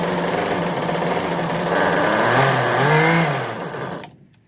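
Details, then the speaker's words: Husqvarna 125b two-stroke leaf blower held in a vise after fitting an aftermarket replacement carburetor, with the mixture screws about a quarter turn from closed; it revs up smoothly without bogging, holds, then shuts off cleanly. Normal running. "Alright, so I got it running. Tuned it."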